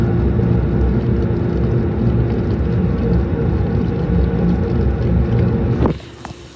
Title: Samsung washer weirdly shaking and making noises